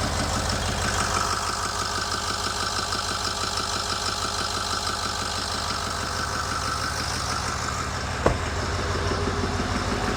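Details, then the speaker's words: 2008 Ford E350 diesel, mostly rebuilt engine, first start with no coolant or radiator, IPR reading a little high from air in system: steady even idle clatter, no misses or knocks, brief clunk near end; oil pressure up, normal idle. "Oh, that's a thing of beauty right there. We got oil pressure."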